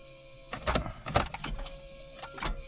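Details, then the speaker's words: Car restarting right after a brief run and engaging reverse and first: scattered clunks and short whirrs but the engine never turns over; starter not engaging, owner suspects the starter, possibly just the cable. "Yeah, so I'll need to have a quick look at that starter and see what's going on. Could just be the cable."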